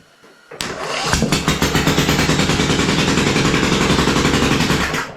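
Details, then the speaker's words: Rebuilt 27hp 724cc Briggs & Stratton V-twin (44Q977-0199-G5) with new pistons and connecting rods, on the bench with open exhaust, choke not hooked up, carb spray: catches at once, runs loud and even a few seconds, shuts off cleanly; sounds like both cylinders firing. "But I think it sounds good. I think it's running on 2 cylinders."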